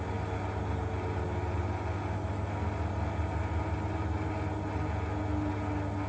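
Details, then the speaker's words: Beko bPRO500 B5W51041AW 10kg washing machine, 9 months old, 240 cycles: a rare inverter module glitch and reset leaves the drum tumbling with the spin brake engaged. It makes a steady deep grinder-like rumble with a faint tone over it. "is that it can actually get stuck Tumbling With the spin brake on and the noise that it makes it sounds like a grinder so it does pretty much it sounds"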